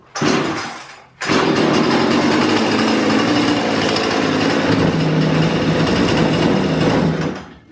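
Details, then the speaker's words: Husqvarna 235e/240 chainsaw after carb tuning, warmed up and shut off, then restarted with the switch back on: one pull, a pause, a second pull, and it catches, revving evenly and crisply until switched off. Normal warm restart. "you ought to be able to grab that thing after you shut it off when go get you something to drink whatever you're ready cut again y'all go that switch back on and just give that clean one pole maybe two maybe a star"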